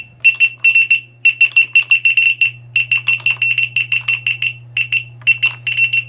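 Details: Begode Gotway EX-N electric unicycle, hall failure recurring after a motherboard replacement: rapid high-pitched beeps in irregular clusters as the wheel vibrates and the gyro shuts off; the alarm keeps beeping and riding with it is unsafe.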